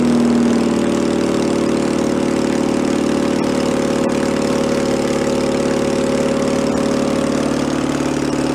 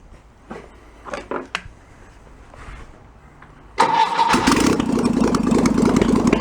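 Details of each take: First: 1966 VW Bus flat-four engine from a barn, running out of the car, choke on: steady fairly fast hum never settling to slow idle; carburetor throttle sticking and not returning. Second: 1966 VW Bus flat-four engine from a barn, running out of the car, unrebuilt carburetor: a few clicks, then catches into a fast, even choke idle with no misses or knocks; idle drops as the automatic choke warms up.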